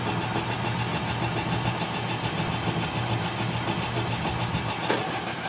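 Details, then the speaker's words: Hardinge HC-T chucker lathe with threading attachment, 8-position turret, 3 spindle speeds, spindle running in reverse at low/second speed; power feed apparently disconnected. Steady even drone with mild low hum, no knocks or grinding; normal spindle running. "There's low speed. That's both directions. We'll switch this over into the second."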